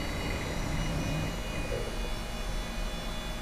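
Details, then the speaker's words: Older hard disk in a traded-in PC booting Windows XP, with a steady, loud rushing hum and faint high whines from noisy, rough bearings. "Have listened to that hard disk. You can hear the bearings in that thing."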